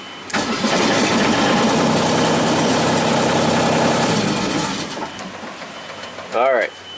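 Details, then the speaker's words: Genie S-40 boom lift diesel cranks, fires and clatters a few seconds, then fades and dies on its own; a start-stall traced while checking the attack wire. "let's start it up see kind of flickering then it shuts off"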